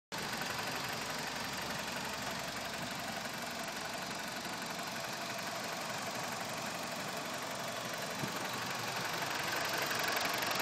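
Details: Petrol engine of a BMW E46 idling with a light, fairly regular tick, about four per second, over an even hum; cause unknown, owner asking what the ticking is.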